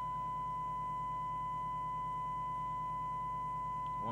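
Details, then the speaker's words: Skiptech TI4000FM CB27/81 CB radio on receive with a signal-generator tone during servicing: a steady test tone, buzzy and gritty, with a rough low pulsing underneath; the FM detector sounds miles out of alignment. "now then that sounds like the detector is absolutely miles out"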